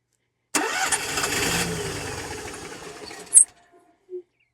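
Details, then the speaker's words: Onan RV generator that won't stay running: after a long fuel pump prime it fires with a burst, runs rough about three seconds, then dies. It earlier ran 30–45 seconds, so ignition is good; the owner suspects a fuel supply problem. "but doesn't act like it wants to stay running. Um kind of giving the indication that it immediately runs out of fuel."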